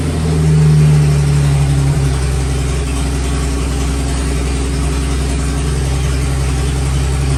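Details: 1954 Fargo half-ton flathead six, first startup after new piston rings and valve adjustment: brief rev, then a deep, steady rumble at about four pulses a second, running evenly and healthy. Carb float overflowing beforehand; slight smoke from oil on the manifold.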